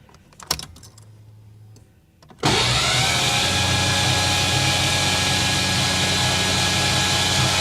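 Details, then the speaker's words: 1989 Ford Mustang GT (non-stock engine) cranked with coil and injectors disconnected to check valvetrain: click then even, brisk starter spin with no knocks or drag, oil reaching top of engine; normal cranking. "All right. Tell you what, the engine turns over great. She sounds good."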